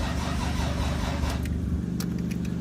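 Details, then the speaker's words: 1990 Toyota Supra MK3 cranks with an even, quick beat and steady compression pulses but never fires, even with the alarm removed. New starter relay, starter, plugs and coil wires; distributor good; fuel pump operation unknown. Owner suspects the AL 430 security alarm system. Crank, no start. "yeah so it cranks doesn't start"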